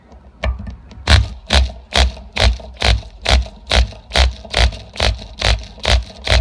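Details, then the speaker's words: Sportwerks .05 cu in mini nitro RC engine, cylinder sleeve re-pinched for compression, pull-started on test bench with no flywheel: sharp pops about two per second each pull but never keeps running, nothing to carry momentum between strokes. "I don't have a flywheel on it though, so there's really nothing to pick up and carry the motion or the inertia of each piston stroke. So you can hear it try to fire here."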